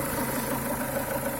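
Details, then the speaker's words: Renault Duster 2.0 at idle: faint irregular quacking croaks over a steady hum, heard from the left side of the engine; the owner suspects the crankcase ventilation (PCV) valve and plans to clean it. "слышите до пульта не кваканье кукареканье кто как только не называет звучит он почему-то именно с левой стороны двигателя"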